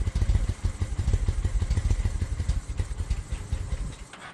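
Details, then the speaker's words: 2000 Honda Shadow ACE 750, started with choke out and starter fluid from a temporary small fuel line and bottle: uneven chugging of about five beats a second that falters and dies, likely fuel-starved. "So, it's probably having some trouble getting gas in there, but we're in good shape. She turns over."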